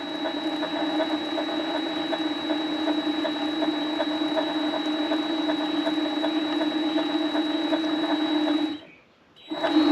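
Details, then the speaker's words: Vevor MX400 mini lathe headstock running after replacing idle pulley 608Z bearings: steady mechanical whir with a faint residual gear whine still present. "let's turn this on and there's still a little bit of gear noise but"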